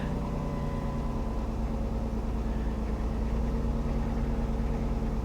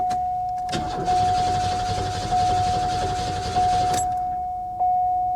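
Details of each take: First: 3.8-liter car at a salvage auction yard with a rough-looking battery, jump-started; fires up and idles with a quiet, steady low hum, even beat, no knocks or misses: normal idle. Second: 2002 Ford Thunderbird at a salvage auction yard, on a booster pack; several long bursts of steady starter cranking but it never catches: cranks, no start. The fuel pump is suspected to have finally died, unconfirmed.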